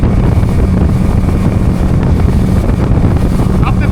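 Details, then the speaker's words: 2002 Yamaha 90hp outboard revived after sitting two years, all four carburetors synced, final on-plane test at about 33 knots: deep steady drone under wind rush, no misfire or stumble; motor running clean. "So, let's see if it will take off. There you go. Look at that. 33 knots an hour"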